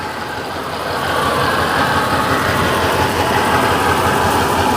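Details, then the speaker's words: 1956 Chevy Bel Air V8: a rough, lumpy idle that never settles, during a water spray test on the headers. Two cylinders on one bank are not firing, though one then seemed to start firing again. Misfire. "So we got 2 cylinders on this side that are Okay. not firing."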